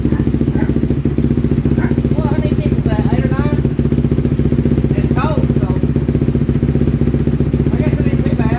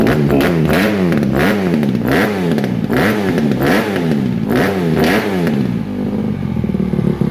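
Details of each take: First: 2007 Honda CRF150R single-cylinder dirt bike, just reassembled, cold start: uneven thumping at low idle, stumbling and hesitating when blipped, a flat spot until warmed up; owner calls the carburetor finicky and plans a new one. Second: 2007 Honda CRF150RB dirt bike reassembled after buying as a basket case, with water apparently run through it and new stator ordered; single cylinder blipped about every two-thirds of a second, picking up and dropping back evenly; normal revving.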